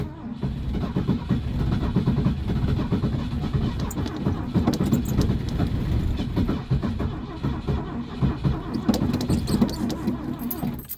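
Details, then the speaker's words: Carbureted classic Ford at -30 degrees, cold start: long steady cranking with a low, uneven churn and no firing catch; it almost starts but struggles, with full throttle and pumping used to clear the carb. "It sounds like she is gonna start, but she's not happy about it."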